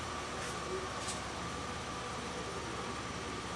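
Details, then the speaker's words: 2001 Pontiac Grand Am at fast idle after fuel injector flush (gasoline and injector cleaner through fuel rail), fuel pump relay reinstalled; previously misfiring on cylinders 1 and 3 with P0300; now runs steady and smoother, no stumble. "fast idle fuel pump relay back in and let's have a look at uh it's seems smoother now"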